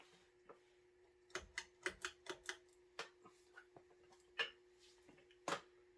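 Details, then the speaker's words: Gulf Coast Dixie Belle 52-inch ceiling fan, circa 1986-87, 172mm motor, running on low; steady hum with irregular sharp clicks about one a second, bearings rough as expected from its condition – rough motor bearings. "The bearings are a bit rough on this fan. To be expected for the condition it was in."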